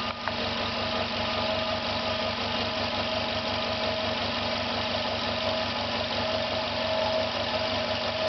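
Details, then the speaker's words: Failing compressor about 50 seconds into running, no air leaks, pressure rising: fast even pulsing thump with faint steady whistle, strange noise; one side hot, other side cold; cause not yet clear. "50 seconds. You can hear it's making a strange noise."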